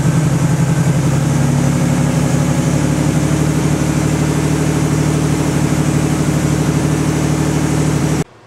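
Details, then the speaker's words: 1986 Cadillac Cimarron 2.8L V6 after tune-up (EGR valve, battery terminals, distributor cap, rotor, ignition module cleaned): steady, even idle with smooth low hum and no misses or knocks until shut off; exhaust likely needs work; normal idle. "but it sounds like it's purring like a kitty right now it's running really nice"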